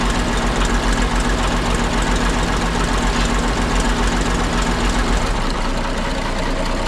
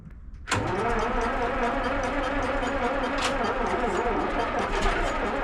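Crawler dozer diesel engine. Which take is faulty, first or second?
second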